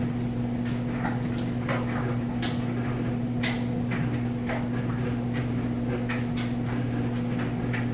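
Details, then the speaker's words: Whirlpool Cabrio electric dryer on heavy duty, high heat, with a wash load: steady low motor hum and soft irregular thumps of tumbling clothes; smooth, healthy operation, heating confirmed. "you can hear it sounds great nice smooth operation"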